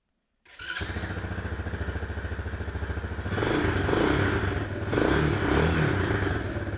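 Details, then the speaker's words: Chinese single-cylinder ATV with an unexplained clicking that occurs only in forward gear, heard on a ride while reversing: an even putt that picks up smoothly with throttle, with no clicking or knocking; it runs normally in this direction. "Sounds perfectly fine. Let's reverse it. and try not to crash. Sounds perfectly fine."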